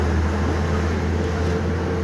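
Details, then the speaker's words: IVECO truck with a Fuller 12JS160T gearbox after rebuild with a full 1-6 synchronizer kit: smooth, steady low hum under way with no grinding, whine or clunks; shifting and all gears good. "ቀርቀሬለት ደግሞ ሌላኛው ማርሽ ምርጥ ነው። ሺፍቲንጉ ሁሉም ነገሩ በጣም ምርጥ ነው።"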